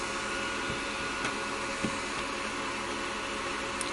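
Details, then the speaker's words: Miniware MDP-L1060 DC electronic load after about 5 minutes at full 100W load, max temperature about 61–63°. Both cooling fans give a loud, steady airy rush with no rattles or pulsing; normal fan noise at full load. "so the two fans are definitely very po"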